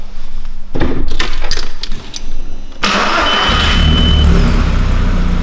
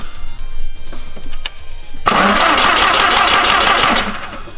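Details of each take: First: Audi restart after the fuel pump was repositioned: short cranking, then the engine catches promptly and settles into a smooth, even idle. Starts normally. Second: Audi no-start: the starter cranks steadily for a couple of seconds but the engine never catches. No fuel pressure at the rail because the in-tank fuel pump had twisted loose.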